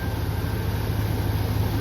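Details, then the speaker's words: 2002 GMC Sierra Z71 at idle after replacing the squeaky pulley at the crank with one from a Silverado engine: smooth even rumble with Flowmaster exhaust, no squeak or chirp; normal idle, fixed. "Should be quiet as a church mouse now. Except for that Flowmaster exhaust, baby. Alright, that did it. Squeaky pulley, you're out of here."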